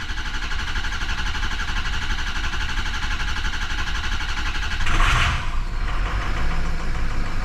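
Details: 2006 Ford 6.0 Powerstroke diesel, after repair of combustion gas entering fuel system: steady even idle clatter, brief hiss midway, no knocking or banging any more; problem solved.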